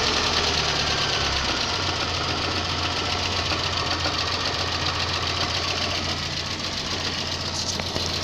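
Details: VAZ 2110 warm engine: steady, fairly regular tapping knock about three to four per second over the idle; source not yet identified.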